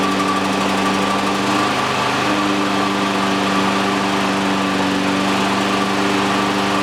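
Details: Exmark EC21KA Commercial 21-inch mower, Kawasaki FJ180 engine, bought in poor condition, after repairs including new primer bulb: single-cylinder holds steady even buzz at constant speed, no misses, knocks or rattles; runs healthy.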